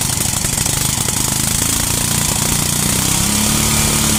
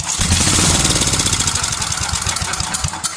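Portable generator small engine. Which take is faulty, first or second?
second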